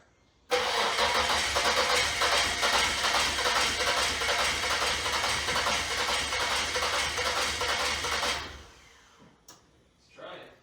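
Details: 1995 Isuzu Trooper after tank pulled and filthy fuel pump dealt with, pump heard whirring: steady starter cranking about two turns a second for about eight seconds, never catching; crank no start, a leak was then found, cause unconfirmed.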